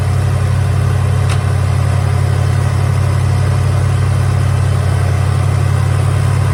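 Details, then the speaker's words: 1983 Hurst/Olds 15th Anniversary 307 V8, revived after sitting parked since about 2002, smoking a little: settles into a deep, steady, even idle burble with no misses, knocks or ticks; healthy. "i just don't know this thing runs pretty good"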